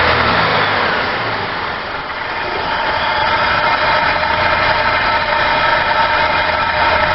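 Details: Supercharged 1999 Buick Regal GS on cold start: slightly uneven, loping idle with steady hiss and whine; caused by vacuum leaks from hardened lower injector O-rings and a leaking throttle body gasket.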